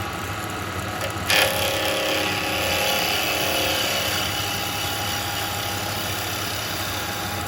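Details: Wood lathe at just over 2,000 RPM turning a three-cornered lidded box with a carbide chisel, tailstock tight: steady high hiss of a clean cut over a smooth spindle hum, no chatter; the speed suits the carbide, normal cutting.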